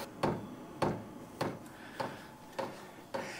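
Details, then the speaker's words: WIPPRO 8kW diesel heater at startup drawing about 100 W: sharp, evenly spaced clicks of about 100 a minute as the fuel pump primes, which is normal. "now regardless of which units you're using they're all going to have this clicking on the when it's priming the"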